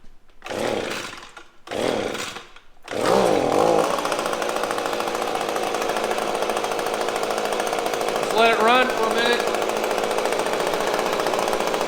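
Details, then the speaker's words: Echo PB-250LN handheld two-stroke blower after draining nasty old fuel and refilling with fresh mix: still rough, uneven buzz with short surging swells, never revving up cleanly; bogs under throttle, later fixed. "okay the fuel issue was probably a major problem but that didn't solve the throttling up and the running issue with the blower"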